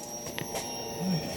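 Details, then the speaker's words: Electric fuel pump in a Barra-swap fuel system, powered directly from a negative and positive wire during a first fuel system test; steady high-pitched electric whine at an even pitch, no surging or rattle, just like the pump in a 2000; normal fuel pump operation. "That sounds really familiar. That sounds just like the pump in my 2000."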